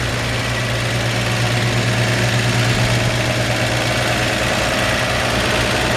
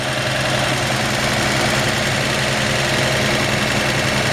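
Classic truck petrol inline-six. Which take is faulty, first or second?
first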